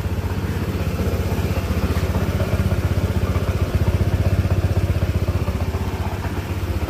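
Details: Honda ADV 160 scooter just after engine oil change (about 800 ml), running a few minutes before rechecking dipstick: steady, even low putter at idle with no knocks, ticks or rattles; engine running normally.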